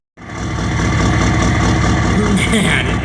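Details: 1993 Chevrolet K3500 6.5 turbo diesel dually after radiator and harmonic balancer replacement, cold start at 20°F (-6°C) warming up: steady, even diesel clatter at idle with no misses or knocks; normal idle.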